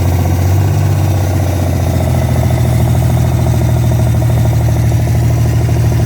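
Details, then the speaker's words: Freshly revived petrol engine's first start-up, idling through open extractors: loud, lumpy idle with an uneven pop now and then; occasional misfire blamed on a bad distributor cap, due for replacement along with the rotor button. "still got a little pop in it that's that bad dizzy cat but should be able to get all that sort of tomorrow"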